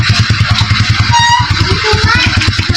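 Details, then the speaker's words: Suzuki Shogun motorcycle after engine was removed and a bearing replaced, previously noisy when clutch squeezed especially in first gear: even steady firing pulses with crisp exhaust beat, no rattle or whine, quiet with clutch pulled; normal running after repair. "Tahimik na yung kanyang makina. Dati pag piniga yung clutch, pigay mo nga. O yan, pag pinipiga, okay na siya ngayon."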